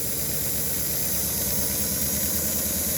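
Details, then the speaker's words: Toy train locomotive on rolling road after fitting traction tire: quieter, more stable thin steady high whir with a soft bobble about three times a second (cause unknown), no harsh clatter; normal running. "and if the train itself is quieter all you hear is a tiny electric motor screaming for mercy"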